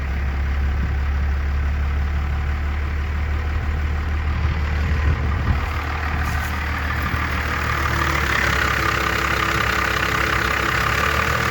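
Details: Engine started right after a throttle linkage repair (rod re-tapped, set to 14.5 in) before idle adjustment: it catches and holds a steady low rumbling idle with no stumbling or surging; normal idle.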